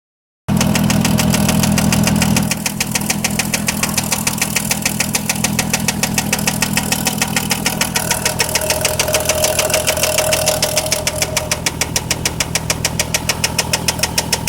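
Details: 2003 VW Jetta 24V petrol engine idling with a sharp, steady knock about twice a second; cause suspected, not confirmed.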